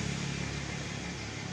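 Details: Yamaha Vixion that was hard to start and died when throttled, with a flickering indicator light. After the voltage regulator (kiprok) was replaced, the engine picks up cleanly and settles smoothly with no stumbling or cutting out: normal revving.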